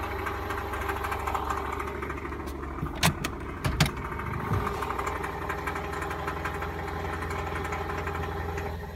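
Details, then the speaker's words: 1999 Toyota Corolla 1.8 at idle: rough idle with dull thumps sounding much like a rod knock, traced to a failing power steering pump pulley. "I think the noise was coming from the power steering pump pulley um which is located down in there H yeah that right there"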